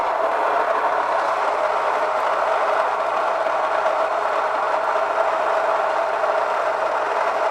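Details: Kitchen stone grain mill at coarse setting 25, cracking barley rather than making flour: steady, even grinding rush with a faint constant tone and no surging or knocking; grain comes out noticeably warmer from the mill.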